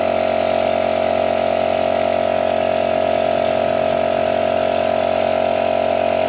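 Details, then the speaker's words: Used air compressor purchase check: motor switched off manually and restarted, still starts, so the dinamo (motor) is fine; even, steady hum with a smooth, regular pump beat. Normal running. "Saya matikan manual lalu saya hidupkan lagi masih bisa nyala ya jadi dinamonya nggak ada masalah itu teknik untuk melihat performa teman-te"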